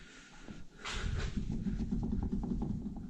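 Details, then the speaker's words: Damaged car (Monika) under repair after underside damage: a low, gritty rumble with rough pulses about four times a second as the wheel is turned, a bad wheel bearing still to be fixed. "you hear that? Bad wheel bearing. Gotta get that fixed."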